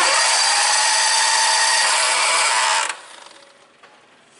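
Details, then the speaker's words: 1998 John Deere 6x4 Gator with Kawasaki engine, crank-no-start, spark confirmed; fast smooth cranking whir with no compression beats, compression gauge not moving; no compression. "so we definitely got spark there my compression gauge hasn't moved at all we'll crank over and watch that again"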